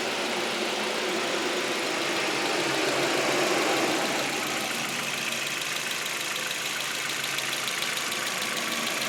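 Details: Audi A4 petrol at steady idle with a light regular tick about three per second, quieter after timing was checked and lined up; check engine light persists, bent valves or bad chain tensioner suspected, unconfirmed.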